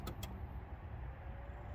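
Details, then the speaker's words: 2023 Polestar 2, about 1.5 months old, after TCAM backup battery reconnect and 12V terminal reconnection: two quick relay clicks then faint steady hum as systems wake; normal power-up. "you can hear it starting back up let's go ahead and take a look inside"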